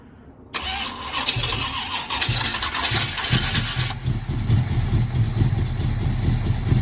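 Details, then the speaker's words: 1981 Cutlass with a 403 V8, unstarted for 2–3 years, parked leaning downhill with about 1/8 tank after 2.5 gallons added and fuel poured down the carburetor: steady cranking with uneven chugs and brief firing that never catches. Fuel pump suspected of not picking up fuel. "So we're gonna take the inlet off and see if any fuel is gonna come out as we're turning it over. We need it to pick up fuel."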